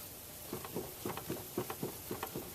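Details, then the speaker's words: Vehicle jacked and safely supported, front tire shaken horizontally side to side: sharp, hollow clunks about four times a second from the hub; severely worn front wheel bearing. "now as I say this is a severely worn wheel bearing so it's good for the purpose of illustrating this in the video but you may not have it may not be as excessive as this when you're checking you could actually hear that bearing clunking around there as I move this this uh Tire"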